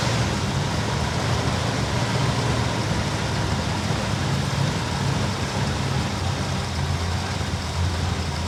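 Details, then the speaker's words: 1964 Chevy Bel Air with 350 small block and Carter AFB carb, sat for years: steady heavy, lopey rumble held at raised idle around 800–1000 rpm; stalls when idled lower. "you know like a lopy idol it doesn't want to come down it's got to stay 800 to 1000 RPM or it just stalls out"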